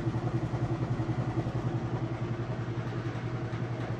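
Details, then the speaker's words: Whirlpool top-load washer on final spin, super load setting: even low hum with steady swish three to four times a second, no knocking or grinding; spinning smooth and fast, lid switch stops it when lifted. "You can see it's got nice smooth operation, and like I said, I'll lift this up, show you that it's spinning nice and fast."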